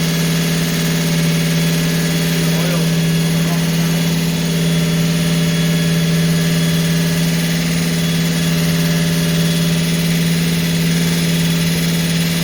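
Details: Holden HQ 308 V8, first start after full rebuild to stock spec (bores re-sleeved to standard 101.6mm), Crow Cams 5651 cam (493 lift, 282 duration, LSA 114) for fair-medium idle; steady slightly lumpy idle with even low beat, no knocks or misses: normal idle.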